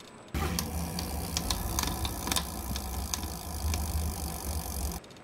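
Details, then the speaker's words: Super73 S2 e-bike about one month old: irregular sharp clicks and rattles over a low motor drone from the rear hub motor; noise began three or four days earlier and kept getting worse, cause not yet found. "well you have just heard how my hop motor is sounding which is not good at all"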